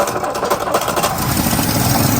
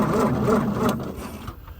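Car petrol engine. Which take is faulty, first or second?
first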